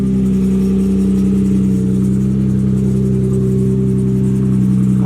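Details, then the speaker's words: Nissan 350Z with about 200,744 miles, idling smooth and steady with an even hum and no knocks or ticks. Normal idle. "oh yeah chingon now better the engine sounds pretty good"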